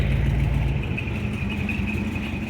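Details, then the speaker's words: 1971 Chevy C10 carbureted V8 with a freshly rebuilt carburetor, sitting a while, started cold using the choke: it fires right up into a deep, steady burble with even firing and no stumble, a normal idle. "There we go, fired right up. It's been sitting for a little while. Boy, it sure does run good."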